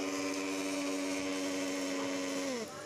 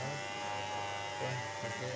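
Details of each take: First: Hand blender before repair: steady high motor whine with no load, then smooth spin-down; motor turns but the blade shaft does not, drive coupling melted and slipping: melted drive coupling. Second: Hand blender after repair (motor was spinning but the shaft did not turn), reassembled and screws tightened: steady even motor buzz with no rattle, knocking or speed dips; running properly.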